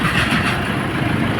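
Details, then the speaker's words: Toyota Hilux idling after alternator pulley and timing belt replacement: steady, even diesel idle with a smooth clatter, no belt or pulley squeal, chirp or rattle. Before the repair it was very loud, "like a helicopter," with the T-belt light on; the light is now off and the engine is quiet. "Wala nang ingay mga boss, oh."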